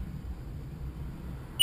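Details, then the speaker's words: 2006 Sea-Doo GTI 130 with DESS key: two short high chirps when the key is put on, the normal key-recognised beeps, no long loud alarm tone (fault gave loud beep and code P1656, caused by a bad key). "and when I put the key on supposed to do like short beeps"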